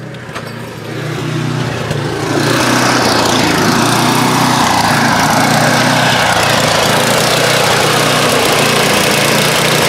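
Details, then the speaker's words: Craftsman snowblower, 10–15 years old, single-cylinder engine with poorly maintained oil, gas and spark plugs, warming up: revs climb over a few seconds, then a busy, slightly uneven drone; engine surging, cause unconfirmed. "ok so you can really hear it revving now as I heat it up come listen"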